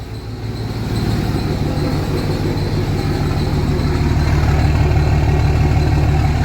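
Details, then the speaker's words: Cummins diesel truck at idle after a rail-pressure fix: steady, even idle with a regular low beat, the earlier misfire gone and rail pressure now holding within about 100 psi. "don't hear a misfire like I did before thank you so rail pressure is no longer jumping around"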